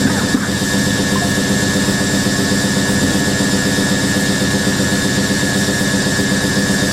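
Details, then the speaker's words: Hoover A3060 Electronic 1100 washing machine, almost 47 years old, spinning a load of vintage bedding and towels. Loud steady spin roar with a thin high squeal throughout. Owner says the motor bearing is going. Worn motor bearing. "and then let the machine spin afterwards the motor bearing going a bit though"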